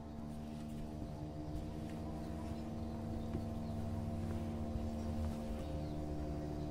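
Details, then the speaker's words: Samsung Digital Inverter direct-drive washing machine loaded with wet clothes, gathering spin speed: a quiet, steady hum that swells slightly with speed and no grinding. The motor is very quiet, unlike conventional-motor washers, and is working correctly. "fíjense como el motor es tan silencioso que no se escucha como las lavadoras que tiene el motor convencional entonces es por eso es que es el Direct Drive de nuestro motor que es sumamente silencioso"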